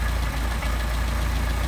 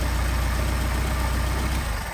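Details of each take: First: Mercedes 190SL Solex carburetors: steady low idle that sags and slows as the idle mixture screw goes in lean; backing it out raises idle to about 800 RPM. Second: Mercedes 190SL with freshly machined Solex carburetors on test, where linkage turnbuckle adjustment changes RPM: a steady, low, even idle with smooth rhythm and no misses or hunting, fading at the end; it idles cleanly.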